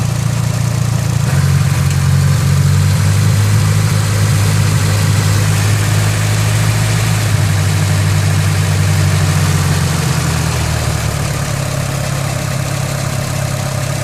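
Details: SR20DET idling: loud, low drum with an uneven, lumpy beat about three per second, sometimes seeming to misfire; owner suspects an idle control valve problem, possibly linked to a hard kick around 25 mph.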